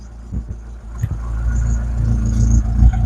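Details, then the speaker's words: Rover 25 GTI, 1.8L VVC petrol engine, warming up after fuel filter replacement: low steady idle broken by sharp intermittent pops, about four in three seconds; backfire still present and not sorted. "Yeah, there's still a little bit of what sounds like backfire every now and again. Yeah, I don't think this is uh this is sorted."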